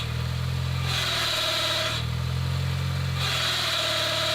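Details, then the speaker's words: £250 Mini Cooper idling. A harsh, high grinding rush appears each time the clutch is pressed and stops on release: the throw-out bearing had exploded in the gearbox, fixed by replacing the bearing and clutch. "Long story short, with you absolute legends out there commenting what the problem could be, we diagnosed that it was actually a bad throw-out bearing that basically exploded in the gearbox."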